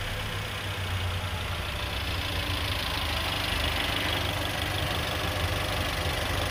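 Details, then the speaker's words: Mercedes-Benz A200 with no power, code P0300 and misfires on cylinders 2, 3 and 4: uneven, lumpy idle with faint spark crackle, mic close to the cylinder 2 coil where the spark can be heard arcing. Misfire. "si se dieron cuenta a compañeros en el acercamiento que pudimos realizar a la bobina del cilindro número dos se alcanzaba a escuchar él el brinco de chispa del arco voltaico"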